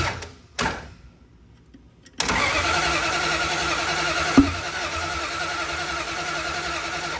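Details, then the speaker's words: Duct-tape Dart, second start attempt with fuel shot down carb: few starter turns, then fires ragged and lumpy with backfire-like pop, small oil leak seen; still not right, rough running from incorrect ignition timing. "Okay, so we still have something going on that's just not quite right."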